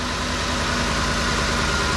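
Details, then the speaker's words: 2010 Ford F-150 5.4 Triton V8 first start after replacing intake manifold O-rings for a coolant leak; smooth, even idle with steady low rumble, no stumbles, hiss or misses, running fine. "sounds like it's idling fine so i don't think we have any mint leaks"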